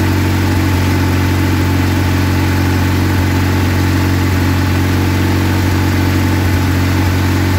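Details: Kohler Magnum 20hp engine, after sitting neglected for a couple of years, running after new oil, air, oil and fuel filters: deep, steady idle with an even low pulse, no tapping or stumbling; normal idle.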